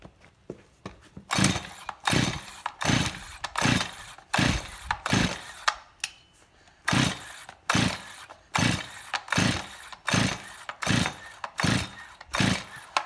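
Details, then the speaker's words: Stihl MS261C first-generation chainsaw, carburetor rebuilt and white fuel solenoid fitted: repeated pull-cord rasps about 80 a minute with decompression valve in, no firing; cranks but won't start despite fuel in cylinder and a spark that may be weak. "So the issue is that the saw is just not even trying to start."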